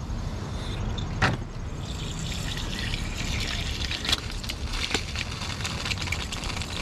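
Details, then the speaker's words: 1999 Subaru after engine install, cooling system filled with water only: steady trickle and splash of water hitting the ground with sharp drips; coolant leaking because the thermostat gasket didn't seal. "when you hear water coming out on the ground um looks like the thermostat gasket didn't seal"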